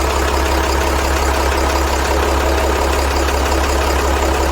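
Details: CAT 3116 diesel idling with a dull, fairly even tapping/clunking noise roughly twice a second under the clatter; the cause can't be pinned down.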